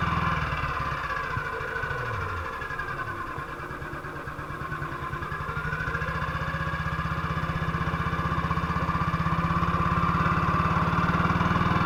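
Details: 1958 BSA C12 single-cylinder on a road test after a misfire fix; the misfire had earlier caused a breakdown, and the battery tested fine at 6.3 V. Even beat at about four firings a second, picking up smoothly with no stumbles or misses. Normal running.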